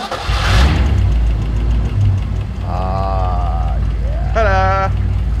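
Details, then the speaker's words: 1964 Ford Galaxie 500 XL junkyard car after fixing a vacuum leak from a bolt-plugged intake manifold hose: a low, steady idle rumble that holds without hunting or stumbling, shouts over it; engine idling properly. "and now we can tune now that we don't have a vacuum [Music] leak"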